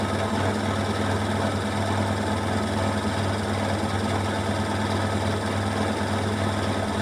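Loud steady hum with a rough rattling throb at high spin; drum shaking from an out-of-balance load.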